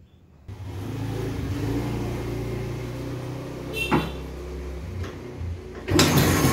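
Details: Restored 1970 Vespa GT (Granturismo) 125 two-stroke with a non-original aftermarket exhaust, fuel nearly empty: catches and runs with an even burbling beat and brief throttle blips, no knocks or rattles, sounds strong.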